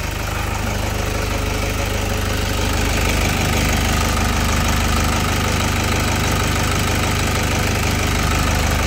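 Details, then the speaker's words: 2008 Toyota Fortuner diesel, previously crank no start and misdiagnosed as a failed pressure pump: after replacing a cheaper part it runs with a steady, even idle and regular light clatter, no misfire; normal idle. "Ayan dito lang yung pinalitan natin. Umandar na siya. Ligtas na yung 42,000."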